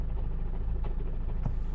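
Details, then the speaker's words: Toyota Verso diesel with 316,000 miles, idling, recorded outside: a loose, fast low rattle over the diesel knock with the clutch out. It disappears with the clutch pedal pressed: a worn dual-mass flywheel. "flywheel rattle that disappears whenever i put the clutch in"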